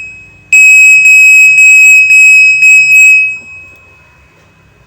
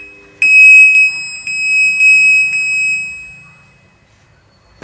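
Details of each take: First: Godrej Fuzzy top-load washing machine control board after replacing two bulged capacitors: a clean, high-pitched beep pattern of about six quick pulses over three seconds, then quiet; the board powers up normally with display and inlet working. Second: Godrej Fuzzy top-load washing machine gives a high steady beep about twice a second for three seconds, then does not start up; fault traced to a bad wiring connector to the control board (PCB).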